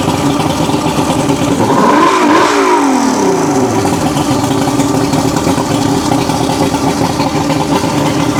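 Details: 1980s Mercury 150HP Black Max V6 two-stroke outboard under repair (carburetor work, fuel pump suspected bleeding into block): quick rev up and down, then steady even buzz without misfires; running smoothly.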